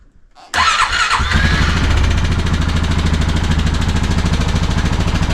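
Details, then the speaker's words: 2015 Honda Foreman 500 4x4 fuel-injected ATV, stripped oil drain plug case not yet fixed: fires up easily after a brief crank with a little buzzing and clicking, settling into a steady even idle; normal start. "That started pretty easy. Fuel injected."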